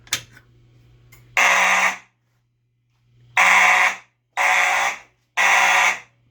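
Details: EST Genesis horn strobe on an EST/Edwards IO-64 fire alarm panel, triggered from a pull station during a monthly shed system test: four loud buzzing horn blasts of about half a second to a second with short gaps; sounding properly.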